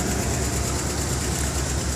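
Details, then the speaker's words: Idling engine with steady low rumble and faint fast regular ticking, worse when revved; owner suspects a lifter. "it's making a tapping noise I get to lifter or something"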